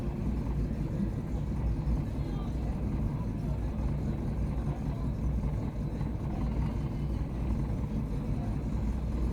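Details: Chevy Aveo small petrol engine idling rough: low, lumpy rumble that never settles, faint unevenness in the beat; cause not stated.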